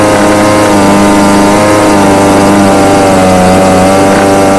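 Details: Homelite UT20042A string trimmer from a scrap lot, previously non-starting, after replacing the carburetor (C1U-H60) and tuning it: high buzzy two-stroke note holding steady pitch with slight waver; normal running.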